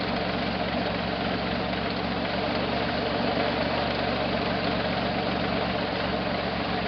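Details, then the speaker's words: 1968 Jeepster Commando Buick V6, rear cylinder misfire, 100° garage: steady low idle with irregular loping beat and occasional stumbles, plus a mechanical noise; owner suspects mechanical damage near that back cylinder, possibly under the valve cover; unconfirmed. "There's something making a mechanical noise and it does feel like it's misfiring."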